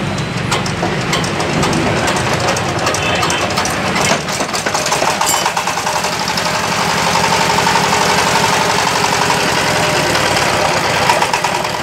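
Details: Yamaoke ZS1100 16 hp (16.5 hp max, rated 2200 rpm) direct-injection single-cylinder marine diesel on test: steady, unlabored clatter at roughly four beats a second; normal running.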